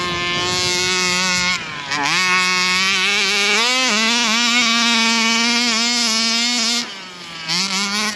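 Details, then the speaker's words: Rovan Baja 5B RC car two-stroke engine at full throttle on a bash run; screams but pitch plateaus and stops climbing, flat on the top end; carburetor adjustment suspected needed; later stalled. "Sounds like it's still running a little bit flat on the top end there. Might have to adjust that carby a little bit."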